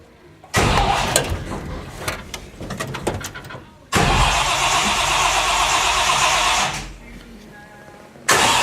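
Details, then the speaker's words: 1957 Chevy custom, 350 engine with two four-barrel carbs and no choke, cold start on a cold day after priming: long cranking bursts with ragged uneven catching, no steady idle; hard cold starting blamed on no choke, usually fires right away. "oh come on don't do this there's no choke so we it's got the two fours no choke so sometimes when it's cold she she doesn't want to start sometimes but she will"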